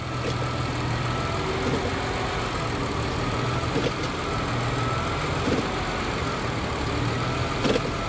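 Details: Hybrid with about 175 thousand miles: steady, even low rumble at idle in gear with no knocks, misses or surging; engine settled and running normally, mounts feel fine.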